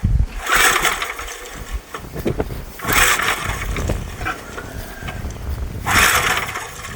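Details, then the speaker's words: Old auction Gravely walk-behind tractor (Power Craft engine), with only a little fuel added: three pull-cord yanks about three seconds apart, each a brief chug that dies away; it turns over but won't start. "Not sounding good yet. No luck with that one. That'll take a little more work."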